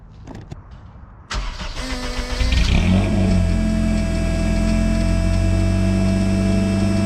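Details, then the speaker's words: Car with a replacement exhaust, larger pipe from the shifter forward and narrower in the rear half: starts and idles with a buzzy, raspy exhaust edge; deeper up front, with the raspiness still coming from the back. "[Music] it's still raspy but i do notice that it's a little deeper um from the shifter forward and the raspiness is in the back"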